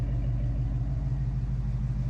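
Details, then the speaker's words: 1974 AMC Javelin engine after new timing chain, idling at night with lights on: low steady rumble, even beat, no ticking or misses; smooth as a sewing machine. "Listen to that. Just perfect. It's like a damn sewing machine."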